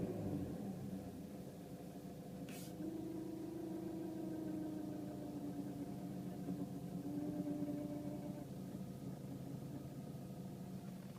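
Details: Renault Megane III 1.5 dCi 106 diesel idling, heard inside the car: steady hum with a faint whine wavering slightly in pitch; not the fuel pump, owner suspects the turbo, cause unknown.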